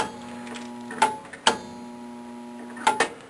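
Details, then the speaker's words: Heater blower motor binding: steady motor hum broken by sharp scraping ticks about every second as the squirrel cage rubs; moving the cage back away from the motor was the fix being tried. "all right I'll figure it out what's causing the motor to bind up"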